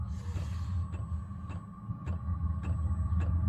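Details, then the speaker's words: Diesel workshop heater on red diesel, Odyssey 12 V battery on charger, full blast while igniting: steady blower roar with soft regular fuel-pump tick every half second, blower changes tone as it ignites; normal start-up. "it's just ramping up now you can hear the uh the blower in the motor it's just changed tone it's ignited I've got warm air coming out of the duct there it goes"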